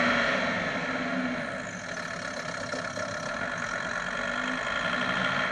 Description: Grinding noise under hard acceleration. Problem found! Was the gearbox mount had come loose and was touching the sump guard.